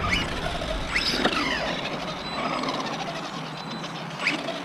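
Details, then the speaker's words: Arrma Outcast 4S BLX RC truck on 4S, first run: irregular high chirps and squeals over the motor whir under power, won't wheelie; a loose slipper clutch was later confirmed as the cause. "that sound like my slipper could slipper clutch might be uh need to be tightened up some ain't right"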